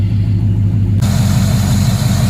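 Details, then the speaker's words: 2007 Cadillac Escalade EXT 6.2L V8, after about 2 years parked; steady, even idle with no knocks, misses or hunting; sounds healthy. "it's just sitting here idling as pretty as you please."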